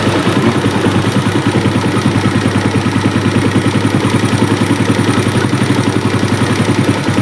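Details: Hot Suzuki Smash motorcycle, complaint of smoke and rough sound when hot: single-cylinder idle pulses about three times a second, uneven and hunting; carb adjustment won't hold a steady idle, compression issue suspected.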